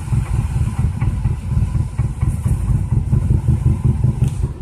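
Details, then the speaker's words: 2002 Toyota Corolla LE with a bad motor, four-speed automatic: takes forever to start, idle lurches and stumbles with uneven low thumps and surging loudness, engine shaking, check engine light flashing; rough idle, cause unclear. "takes forever to start wouldn't even let me it won't doesn't even let me push the throttle now that motors shake holy holy"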